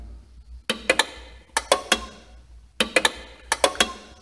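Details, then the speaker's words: Washing machine pressure switch (presostato) bench-tested by blowing air through an attached hose with the hose bent: sharp crisp clicks in groups of two or three, the switch activating normally. "vâng sau một thời gian. công tắc áp suất phát ra tiếng ồn."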